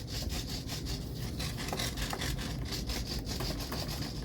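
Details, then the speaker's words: Lemon RX stabilized receiver in a Dynam Super Cub with the stabilizer switched on: quick buzzy whirring bursts as the plane is picked up and moved, showing the servos correcting normally. "can hear the servos making the corrections."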